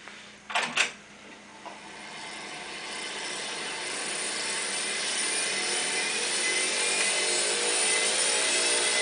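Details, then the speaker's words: Studer A80 reel-to-reel master recorder, ex-BBC editing machine with about 20 transport bearings replaced and mechanics and electronics serviced, rewinding: a few clicks, then a smooth rising airy rush with no high-pitched whine; quiet, healthy rewind. "One of the noticeable differences once you've had all the bearings replaced on the machine like this is the sound and when it rewinds."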